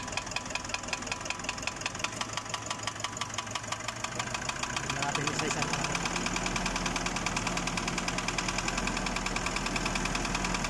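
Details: Nissan Urvan NV350 at only 45,000 km, noisy engine: rapid, steady metallic ticking about three knocks a second over idle; engine knock, source not yet found.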